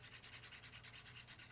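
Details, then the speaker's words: Ford Mustang Saleen instrument cluster on a bench power supply, after new stepper motors and final calibration: soft, even whirring ticks over a faint mains hum. The gauge sweep is smoother and quieter than before, matching normal factory stepper motors. "So all these gauges should have a similar sound to them when you replace them with brand new stepper motors. And when you power it up, they'll just make a regular noise that the OEM factory stepper motors would make."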